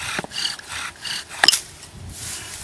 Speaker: did you hear that deep grinding noise that I was getting? Yeah. That's what you're going to want to hear for. As soon as you start hearing that, you know you're really, you got a good motion going on then.